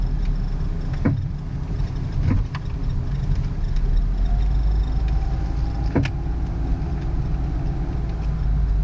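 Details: 2001 Ford Focus front suspension popping on both right and left: loud low rumble with sharp single pops seconds apart; owner suspects worn bushings and ball joints or whole control arms, unconfirmed; separate squeak is the passenger-side A/C blower motor.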